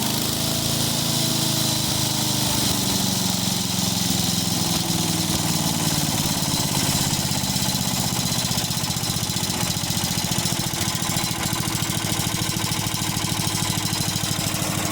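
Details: 1995 Yard Man 8 hp chipper shredder, compression raised from 48 to 68 psi after repair: small single rises in revs then settles into a steady, even drone with no misfire or knock; normal running.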